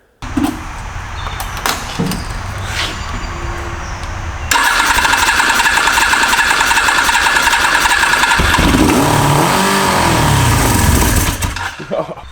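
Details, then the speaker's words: Auction inline-four motorcycle with four carburetors, possibly needing sync, fed gasoline sprayed from a bottle into intakes: light ticking, then engine catches and runs rough and uneven for several seconds before dying; fired on sprayed fuel. "It's good for like a little squirt and then fire it up, but I mean, just spraying gas you're not gonna mess up anything with the engine"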